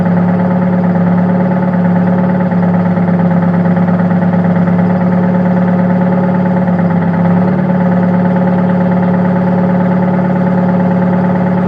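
Steady idle with an uneven, loping beat, about two stumbles a second breaking the rhythm; a misfire, cause not yet pinned down.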